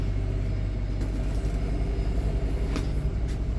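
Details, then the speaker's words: Repaired generator in a 2019 Allegro Red motorhome, load from bulk battery charging: deep steady rumble firming up as load comes on, smooth without hunting; normal generator under load. "oh hear that generator kick up put a load on that generator now that's a good sign"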